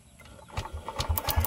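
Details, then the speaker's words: Yamaha Aerox 155 V1 scooter, stored a month after stalling while riding, battery 12.30 V, ignition coil gives spark: quick even starter crank bursts, engine never catches; crank no-start, worn spark plug also found. "So mga getong boltahe mga boss, kayang-kaya pa sana nito paandarin yung motor kaso nga lang kapag pino-post start natin mga boss, ayaw umandar yung makina."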